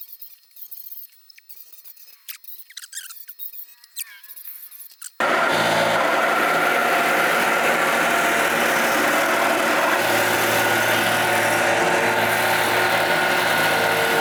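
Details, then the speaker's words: Sawmill motor: loud steady drone with rough beat about four times a second and thin whine, labouring because a spring was rubbing; sorting the spring made it much quieter; mill also suffered a gearbox failure. "you guys hear that that motor sounded awful right SHO oh where are we rubbing I can feel it this spring"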